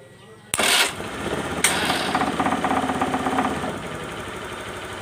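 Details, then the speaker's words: Honda Beat FI scooter with conventional starter motor, after a starter clicking problem: sharp snap, second crack, then it catches and runs with quick even firing pulses, starting normally. "Oke, ya. Saya ulangi sekali lagi. Oke ya, motor ini hidup, Guys, ya."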